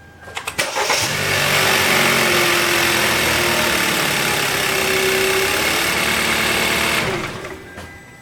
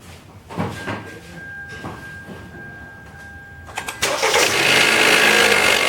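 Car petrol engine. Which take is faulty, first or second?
second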